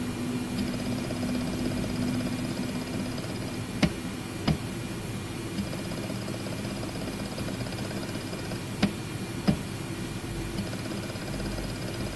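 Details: WD My Book 8TB WDBFJK0080HBK at idle: steady spindle hum with rattling chatter like a pneumatic hammer and sharp clicks every few seconds; the third unit after two RMA replacements sounds the same, cause unknown.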